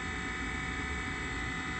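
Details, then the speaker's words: Trane XR90 furnace after fixing a limit switch that had the blower blowing cold air as soon as the inducer started. Inducer runs, flame lights, and about a minute later the blower starts; a steady even roar of burner and airflow through the ducts with no clicks or rattles. Fixed. "It takes about a minute, and now we hear the air going through the ducts. So problem solved, problem fixed."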